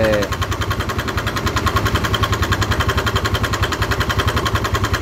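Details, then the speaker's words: Motorcycle engine revved with oil spurting at the tensioner position: rough, regular knocking about three to four times a second over the engine, located at the cylinder head; cylinder head knocking. "lah sekarang kita mendengarkan dari suara kasar ini berada pada kop"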